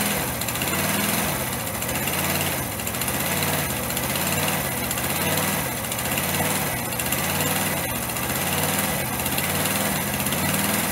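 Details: Single-cylinder motorcycle engine running after a rebuild with missing tensioners and snapped head bolts, exhaust valve clearances set, oil circulating: revs in slow, even waves about every two seconds, no knocking or rattle; healthy.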